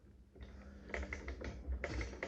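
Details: 1885 Singer Improved Family sewing machine sewing four fabric layers: quick run of light clicks and taps as it turns, a slight knock each stitch from play in the aged, worn hook.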